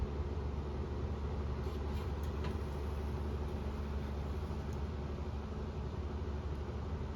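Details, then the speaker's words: 1997 Honeywell HW-612 12-inch reversible window fan from a thrift store, run on high: low hum with slight uneven shake, far below proper high speed; owner says bearings need cleaning and oiling. "yeah so I mean it's running but it's doesn't seem to be running at near the speed it should be on high speed"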